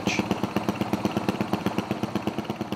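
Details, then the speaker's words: Fuel-injected motocross bike idling with Wiseco 3.5 fuel management controller, green (pilot) mode richened and AFR dropping on gauge: engine stutters in uneven lumpy pulses, about 2.5 per second, from overly rich fuelling. Rich mixture stutter. "as we're adding fuel you can see that the AFR number drop and also hear the motor Stutter from being overly"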